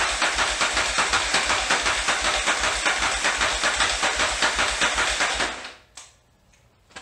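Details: 1981 Yamaha XV920 V-twin cranked with new starter and ground cable, gas in floats, plugs connected: steady clunky pulses about two and a half per second, never catching; crank no-start, fuel starvation; carb float setting suspected.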